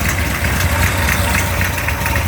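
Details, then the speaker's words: Mopar 360 V8 on test stand, near 180°F, ~900 rpm idle, 248°@.050 cam: faint sharp snapping tick over steady idle from an exhaust leak at the header. "As you can hear, a little bit of an exhaust snap from that header"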